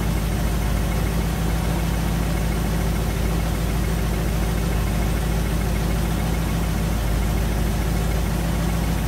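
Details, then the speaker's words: 1956 Chevy Nomad V8, sat over 2 years, idling: light uneven tick from the rockers contacting the inside of the valve covers, felt through the cover. The tick is new, and the cork-gasketed valve cover is also leaking oil. "that means that valve cover is not ceiling and there's a weird knocking noise ticking noise that wasn't there before touch this valve cover over here and I can feel it the same noise"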